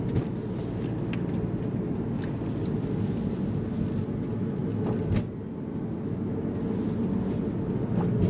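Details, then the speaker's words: 2001 Porsche 911 Carrera 996, 3.4L flat-six, 6-speed manual with RND roller bearing kit, in-cabin POV drive in second gear downhill: steady road roar and engine drone, light taps over bumps, struts audible but no clunks; normal suspension. "No unusual noises. You do hear the struts working, but they don't sound clunky or damaged or anything like that."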